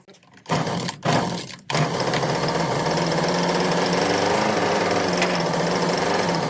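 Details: Husqvarna 125b two-stroke leaf blower held in a vise after fitting an aftermarket replacement carburetor; after a few sputters it settles into a steady buzzy drone. Normal running.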